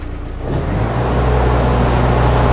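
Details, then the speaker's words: Profire truckmount carpet-cleaning unit with a Kubota 4-cylinder diesel, in a Nissan NV high top, at idle stage: steady low diesel idle with a constant rushing vacuum blower hum; normal idle. "Here it is, in idle. You can hear the vacuum on it."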